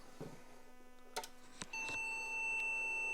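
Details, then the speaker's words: IBM PC/XT 5160 with a memory diagnostic ROM testing Bank 0: a few clicks, then long, steady mid-pitched beeps reporting failed RAM bits; pattern long long short short means many 4164 chips faulty, so swap the whole bank. "long long short short okay that's just saying a lot more is faulty"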